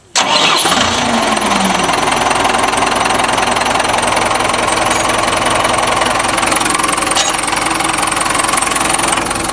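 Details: Diesel started after a repair to check for leaks: it cranks, catches at once and settles into a steady, even idle with no misses or knocks; no leak so far, sounds healthy.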